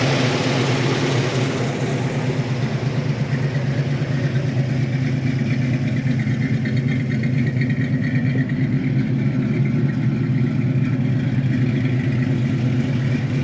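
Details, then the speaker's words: 1972 Chevy Malibu Chevelle SS tribute, 350 V8, mild cam, after new carb (old one too big) and tune-up; idle previously slightly off, now good: deep steady burble with slight cam lope, even firing, no knocks or ticks; normal running. "it runs real good now it ran well before but the idle was off a little bit now it's idling really good"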